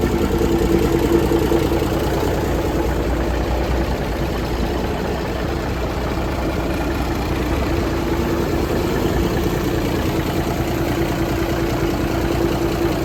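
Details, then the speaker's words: 1978 International Transtar II cabover diesel, first start after sitting, brakes freed: low, even diesel clatter holding steady idle over ten seconds, no stumbling or knocking; healthy, though a heater core line leaks. "It worked. Sounds good to me."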